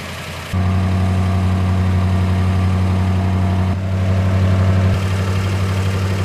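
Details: 1960 Plymouth Fury, just cold-started after years unused on stale gas, with the accelerator pump not working and the choke misset: catches into a smooth, even idle with no misses, then revs cleanly. Running well.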